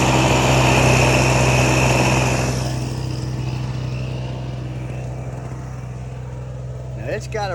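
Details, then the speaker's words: Repaired small two-stroke Chinese generator (1000 W peak, 850 W rated) after voltage adjustment, slightly over-volted, sticky linkage: steady buzzing drone holding even speed with fast regular beat; running smoothly. "a real narrow window of adjustment and I had to over volt it a little bit to get it to power anything"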